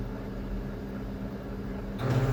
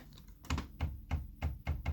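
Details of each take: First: Kyocera P3145dn laser printer that had loud crackling, squealing, noise and constant paper jams near the drum. After replacing gear Z128R (302L231040), the print run starts with a smooth, low, steady hum and no crackle, squeal or grinding. Normal quiet printing. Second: Kyocera P3145dn laser printer with loud cracking, whistling and paper jams near the drum. Sharp cracking clicks about every third of a second over the drum-drive motor hum, a stripped drive gear slipping; fix is replacing gear Z128R 302L231040.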